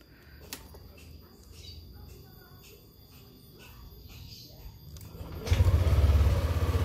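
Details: Yamaha Aerox 155 started after 3 weeks unused and unwarmed: after a quiet pause it fires instantly and drops straight into a steady, even idle with no stumbling; normal start and idle.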